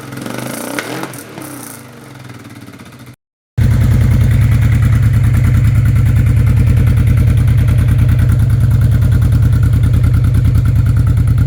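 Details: Honda Bros RC31 V-twin just fitted with a Fuel F1R stainless road exhaust and short 250mm can: brief crank, then a deep, even, lumpy idle with no misses or rattles; healthy running, about 90 dBA.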